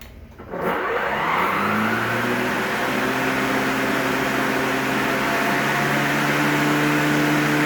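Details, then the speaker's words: Greenworks 60V 25-inch mower, turbo blade-speed button pressed after spin-up: smooth electric whine climbs and settles into a slightly louder even hum; turbo works despite exposed ribbon strip. "i don't know if that comes through the video of it's a little tiny bit louder you can definitely hear it cycling up when it's on turbo"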